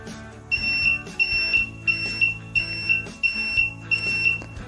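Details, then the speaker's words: PS-1501S bench DC power supply (about 15 W, 1 A) short-circuit test with the leads shorted: repeated high beeps about 1.5 per second with handling taps; display drops to 0 then returns to counting. Normal. "ඉතින් ආපහු බලන්න මේ විදිහට beep සද්ද එනවා. ඒ වගේම counting එකට ආපහු වෙනවා."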